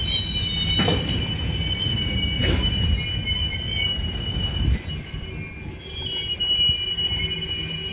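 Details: Union Pacific 6644 freight train leaving Mesa Yard, recorded 6/25/2021: rolling train noise with sustained high-pitched wheel squeal and occasional clanks between cars, cause not clear; the train stopped and was later fixed.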